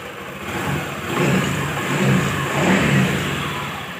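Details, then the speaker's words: Honda Beat FI scooter engine upgraded to 129 cc with Kaze piston, revving up and down smoothly without misses or knocks; pull feels light and responsive, healthy normal revving. "kita gas gila mantap nih nomor sekali ya tarikannya enteng lebih enteng"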